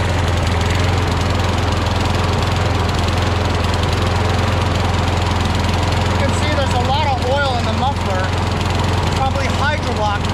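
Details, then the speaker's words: Craftsman push mower with crankcase oil way overfilled, oil dripping from the muffler, suspected hydrolocked, carburetor holding throttle. Steady low drone with an uneven, lumpy beat and no clean rhythm; rough running from overfilled crankcase oil. "it has to burn that oil off it's maintaining the throttle so the carburetor is actually okay but i think it's just hydrolog"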